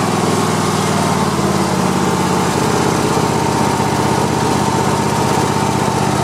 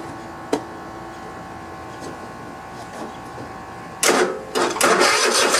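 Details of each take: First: Cub Cadet i1050 zero-turn mower, long abandoned, after burning off old gas and refilling with fresh fuel: steady, even twin-cylinder drone at constant speed with no misses, knocks or squeals; running normally. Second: Cub Cadet i1050 zero-turn mower twin engine, left outside for years, fed from an auxiliary tank. The starter cranks for a couple of seconds without firing: crank, no start, carburetor suspected clogged with old gas residue since fuel reaches the pump.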